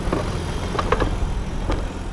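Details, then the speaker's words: BMW E46 restarted after sitting three months, oil poured into cylinders: a little blue smoke from exhaust, low even idle with a few light ticks and rattles; smooth healthy normal idle. "something bit of the blue smokey jaw but sounds good idling smooth"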